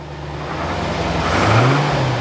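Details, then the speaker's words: Barn-find C4 Corvette ZR-1 after an ECM repair, with a clear display: the engine note swells smoothly as revs build with no stumbles and runs much smoother; a service engine soon light remains, possibly from low coolant. "it's running a lot smoother that sounds really smooth"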